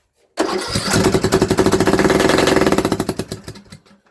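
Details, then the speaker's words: Craftsman LT2000 riding mower that sat for years: harsh, loud, rapid chuffing from the intake while cranking with carb spray, no start. A hole or leak is suspected; later smoke from under the hood points to an exhaust blockage. "We definitely got a hole somewhere. That's like super loud."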